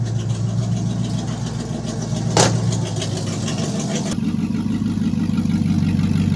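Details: V8 with Turbo 350 transmission, after resealing leaking dipstick tube: settles into a smooth, even idle with a steady low burble, no misfires or rattles, normal idle.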